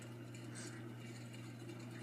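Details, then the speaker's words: J&P Kmart Spinner 42-inch ceiling fan on high, mounted on a beam: a steady low motor hum with a faint rattly chatter. It is loud but barely wobbles. Owner says the bearings have junk in them; noisy bearings. "Like I said, the bearings have some junk in it."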